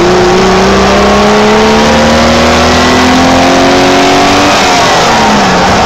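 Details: 1987 BMW E28 520i, M20 2.0-litre inline-six, 129 hp, nearly 400,000 km, running well again, recorded on a phone; smooth, even note sweeping up and down with revs, no knocks or misses. Normal running.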